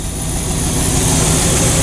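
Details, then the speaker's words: 1969 Chevy truck V8 with Quadrajet, after mixture set by vacuum gauge: hard throttle blip, vacuum drops near zero then returns to about 22-23, deep even burble settles back to steady idle without stutter; carburetor tuned right. "and we get that nice throttle response it drops back down it didn't stutter when we throttle it"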